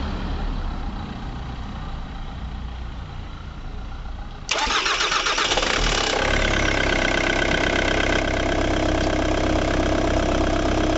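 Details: Ford Mondeo Mk3 with a no-start, no-crank fault, after replacing a blown 13-amp fuse (a starter and relay were also replaced): it fires about halfway through and settles into an even, steady idle; it now starts and runs fine.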